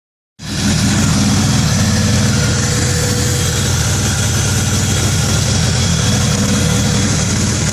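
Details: 2000 Acura Integra: engine catches and settles into a lumpy, stumbling idle with uneven beat, a clear misfire at idle; cause unknown.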